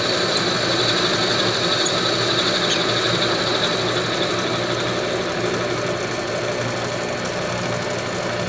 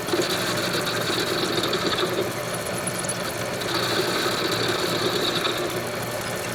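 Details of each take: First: Homemade lathe after fitting new headstock bearings and spindle, turning round stock at normal speed: steady spindle hum with constant high-pitched metallic ringing on top; chatter during this cut, while face cuts have no ring. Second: Homemade lathe after fitting new headstock bearings and spindle, turning round stock at normal speed: even steady spindle whir, no knock or grind, faint ringing; bearings healthy. Normal running.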